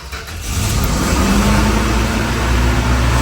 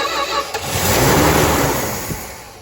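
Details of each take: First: 1964 Dodge Dart GT, 273 V8, just started on fuel poured into the carburetor bowls: engine settles into a fast, steady idle that never drops back. High idle from carburetor linkage rod length holding the throttle slightly open; rod needs adjusting. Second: 1964 Dodge Dart GT, 273 V8, first fire-up after sitting about 13-14 years: engine cranks briefly, catches cleanly and settles to an even, smooth idle with no misses or knocks; healthy start.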